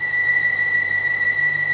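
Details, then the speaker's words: BMW 550i (E60) with N62 engine at idle: a thin, steady high-pitched squeal that changes when the oil cap is removed; found to be a squeaking seal, most likely caused by a bad PCV valve, vacuum related. "although i am glad that that noise wasn't anything serious at the end of the day it's just a seal that is causing a squeaking noise because of a bad pcv valve most likely"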